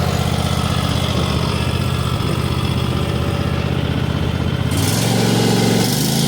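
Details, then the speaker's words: New 2022 Cub Cadet XT1 ST54 riding mower running: steady even low thump, picking up a little speed near the end; possibly a smidge louder than old Briggs & Stratton Craftsman, sounds like any mower; normal running. "It might be a smidge louder than what my Craftsman was, which has a Briggs & Stratton in it. But to be fair, it sounds just like every other mower I've ever used before."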